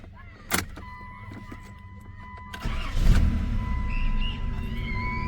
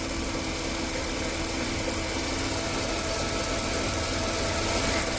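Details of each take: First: 1990 Chrysler New Yorker after brazing leaking fuel rail and refitting injectors, fuel pressure gauge fitted: short crank, engine catches quickly and settles into steady even run; fuel pressure just above 30 versus zero before; normal start. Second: 1990 Chrysler New Yorker, abandoned, now running after a fuel-rail leak fix and still smoking: the engine runs steadily, with a light, fast, slightly uneven tick when revved; owner suspects a sticky lifter and plans to add Marvel Mystery Oil.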